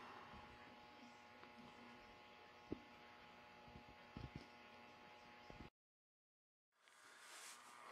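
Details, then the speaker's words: Radio receiver on the 5 MHz band: steady buzzy hum with a comb of tones under the static, cutting out and then hiss returning; the noise is interference from neighbours' LED decorative Christmas lights, not the street lights. "so this was actually all this noise is actually caused by Christmas Elites LED decorative Christmas lights"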